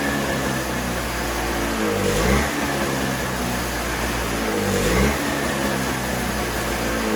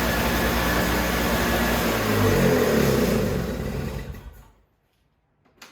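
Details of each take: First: Toro CCR3000GTS snowblower (5 hp Suzuki engine) with the tank empty, started to run dry for storage: steady running that dips and surges about every 2.5 seconds as the carburetor runs out of fuel. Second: Toro CCR3000GTS single-stage snowblower (5 hp Suzuki engine, 20-inch cut) restarted after fuel stabilizer is added for summer storage: steady small-engine drone at even speed, then shut off and winding down. It starts easily and runs normally.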